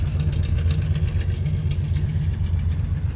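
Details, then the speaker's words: 1967 Chevy Caprice that sat 17 years: a deep, uneven, loping idle that needs a tune-up; the owner suspects the timing is way off as it's grumpy to start; a slight front tick possibly from the water pump. "Needs to be adjusted. Pretty sure the timing's way off because it's a little grumpy to start."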